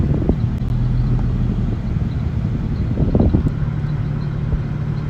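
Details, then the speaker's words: Infiniti G35 V36 with air in coolant causing overheating, heater at 90 full blast: low uneven idle rumble with stumbles and surges over fan noise; rough idle while bleeding coolant. "Heat is on 90 full blast. You hear the car rough idling right now."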